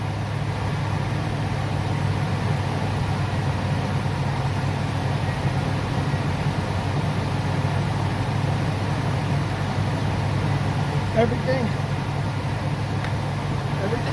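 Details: Ford E350 V10 RV motorhome after serpentine belt and tensioner replacement for recurring belt squeal: deep, even low rumble, steady with no squeal, chirp or knock; idling smoothly, belt tracking and running quietly.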